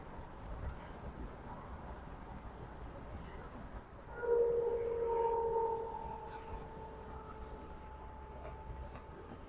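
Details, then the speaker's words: 2007 Pontiac Solstice GXP automatic with 117,000 miles, driving: a steady mid-pitched whine rising out of the road noise from the rear differential, which is also leaking and due for replacement. "Take a quick video with the drive so you can hear the whine of the rear differential."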